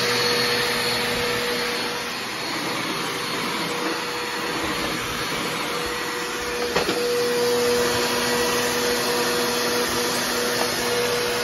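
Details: Trash-picked older Bissell PowerForce Helix Turbo 68C71 upright vacuum running: loud, steady motor whir with fixed whine and faint uneven pulse; has suction but sounds rough, owner suspects the motor needs a cleaning.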